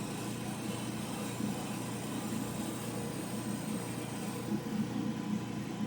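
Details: Old General Electric gas clothes dryer that did not heat: after repair, low steady drum rumble with soft even rub, no knocks or squeals; burner lit and heating normally.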